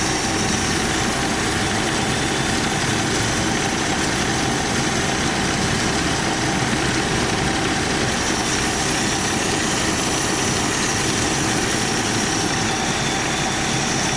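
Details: AMC Jeep engine after carburetor work (shaft cleaned, crosshatched, choke issue), running after heavy pumping, possibly flooded: even, steady idle with no misses, knocks or surging, smooth at a settled speed; normal idle.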